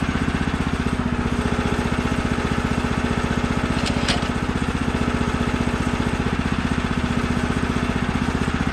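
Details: Brand-new Woodland Mills HM130 Max Woodlander sawmill, 14 hp Kohler single-cylinder engine, first cuts after throttle cable tension was corrected: steady, strong full-throttle beat while cutting, no bogging or surging; running properly at full revs.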